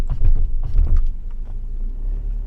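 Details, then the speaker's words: 15-year-old Audi A4, 83,000 km, road test tapping the brakes: dull clunks and creaks from the front chassis, caused by cracked rubber bushings on the lower control arm. "This is the big arm, this is the brake step together, that's it. Step together. Point brake You hear me, it's empty."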